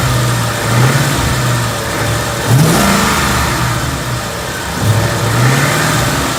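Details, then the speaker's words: 2014 Ford Coyote V8, bone stock, 29,000 miles, heard from passenger side: smooth, even idle with quick rev blips, no tick or piston slap; one click is the AC clutch engaging. "Sounds healthy to me. We'll see. I've got to listen back to the video, but so far it sounds good to me."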